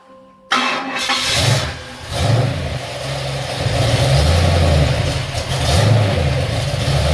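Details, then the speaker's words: Ford XC Fairmont 351 V8 on a run stand just after fitting a Thermoquad carburetor, choke not yet set: catches, revs a long way up, then uneven lumpy surging idle; smells very rich, running rich after carburetor install. "I that's a long way up but it's not bad you know smells very rich that's really really rich that was pretty un successful"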